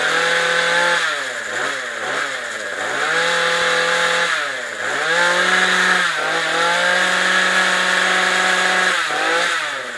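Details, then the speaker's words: Craftsman weed eater power head built in 2009, right after carburetor replacement, with the fuel line still leaking. The small two-stroke buzzes high and steady, picking up cleanly on each throttle blip. Normal running. "I mean this thing was built in 2009 and it still runs great"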